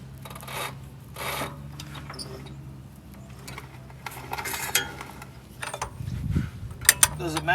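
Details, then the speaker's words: 1958 Dodge Power Wagon V8, long-sitting and soaked with penetrating oil, turned by hand with a breaker bar: slow rasping scrapes in bursts with odd clunks inside. Something is dragging internally, though the engine is not seized. "there we go it's moving now it sounds weird in there"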